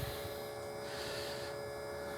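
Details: 1956 Volkswagen Beetle oval window rag-top, fuel pump with Italian regulator for Weber carburettors and new pressure gauge: steady quiet electric hum with a few fixed tones, no rattles or surging; pump running normally, pressure nearing 5 psi, within 3.5–5 psi spec.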